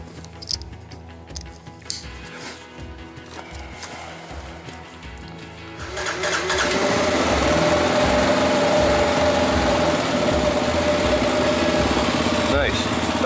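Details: 2015 Kawasaki KLR 650 that had stalled while warming up and would not restart, after fixing a split petcock vacuum line: quiet handling knocks, then the single settles into a steady, even idle with no stumbling.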